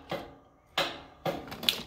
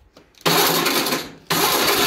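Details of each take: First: Cub Cadet mower with parking brake set and a 2021 battery: a single sharp click at each key turn with no cranking; faulty starter solenoid or starter. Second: Cub Cadet mower with a 2021 battery, after replacing the starter solenoid for a click-only no-crank, cold weather: two strong, brisk, even cranking bursts without clicking; normal cranking, almost started.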